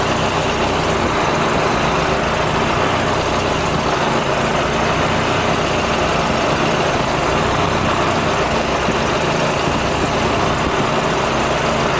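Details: Engine with HKS GRF exhaust manifold idling steadily, with a raspy, puffing edge from an exhaust leak at the manifold.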